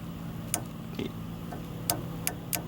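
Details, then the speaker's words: Honda Odyssey sliding-door closer motor, removed and bench-tested on 12 V across the red and green terminals: faint irregular clunks and clicks over a low hum, same as in use; the mechanism is suspected jammed and not working. "And I hear that, just that little clunking. That's exactly what I hear when I try to do it. So it's not working."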